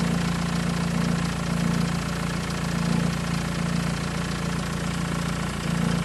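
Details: Deep, even idle with a fast light top-end rattle, roughly three to four taps a second; owner suspects timing chain rattle, not confirmed.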